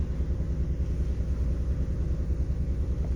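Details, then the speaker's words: Mercury Cougar at the start of restoration: earlier ran on only a couple of cylinders and the carburetor needs going through. Now a steady, even low idle with no knocks or misses. It idles well but dislikes load; charging works, oil pressure is marginal, coolant temperature rising. "She idles good. She just don't like a load on her."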